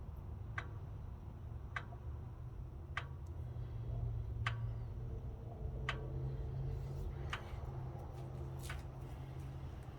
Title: ran for a minute and a half then died followed by this ticking noise